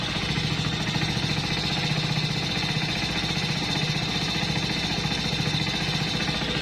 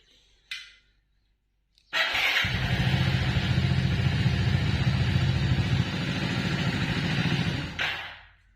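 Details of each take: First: Hero Splendor+ BS6 motorcycle, cold morning idle heard at the silencer: even regular put-put firing, no knocking, slight smoke; owner says this is normal in the morning, no engine problem. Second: 2021 Hero Splendor+ BS6, morning cold start: one kick catches and it idles evenly for about six seconds, then stalls on its own with no rider input.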